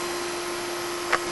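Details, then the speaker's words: Laser projector after parts swap, horizontal scanner plugged into the vertical scanner channel: thin, steady constant-pitch whirr with one faint click, the drive board driving the scanner normally; owner now suspects all three scanners may be bad. "and the scanner is spinning so the drive board is driving the scanner"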